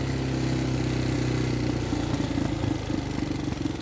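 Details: Husqvarna SM610 supermoto bought used, single-cylinder idling with a loose, uneven clatter growing into sharper pulsing knocks as it settles; engine knock, cause unknown.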